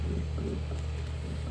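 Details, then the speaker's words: Rear differential coupling removed from a 2014-2020 Nissan Rogue, spun by hand on the bench: steady low gritty rumble, feels rough; owner suspects its two internal bearings. "so I'm spinning this and it feels kind of rough say the least I'm thinking that the problem is in these bearings I me you can hear that"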